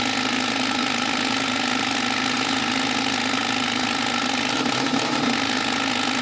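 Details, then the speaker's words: Jeep 5.0 stroker build just after startup: lumpy idle with an uneven ticking beat about four times a second. Header temperatures show the middle cylinder not firing (about 220–230° versus 400°); owner suspects pushrods or lifters not yet bled down. "so the middle one for sure ain't hitting which I'm pretty sure ironically was the opposite of what we thought was the outer cylinders that was taking"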